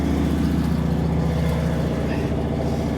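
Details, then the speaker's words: 1980 Dodge W200 with swapped Magnum 5.9 V8 and a used carburetor, idling: deep uneven lope, three or four beats a second, popping like a misfire; little tailpipe pressure, running rich, owner suspects worn heads or lost compression. "That thing was popping like crazy. I think there's something wrong with it, because there's nothing coming out of here."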